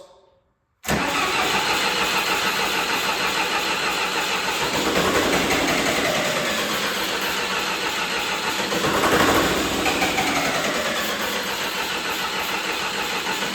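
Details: John Deere 450C bulldozer diesel, reassembled, in neutral, air in lines suspected: steady starter churning about three turns a second over ten seconds, no catch; fuel shutoff solenoid unpowered.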